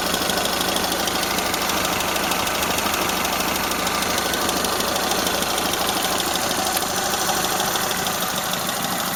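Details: Toyota Corolla Ceres, 4A-FE engine, C50 manual gearbox: steady idle with fast even light ticking about three per second; owner unsure whether valve tapping or gearbox shafts rattling; exhaust flex pipe also leaking slightly.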